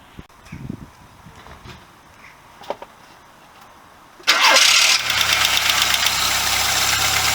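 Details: VW Golf Mk2 carburetor engine cold start after head gasket replacement, with a broken Pierburg wax stat and crank seal oil leak: cranks, catches quickly and settles into a steady, even fast idle with no knocks.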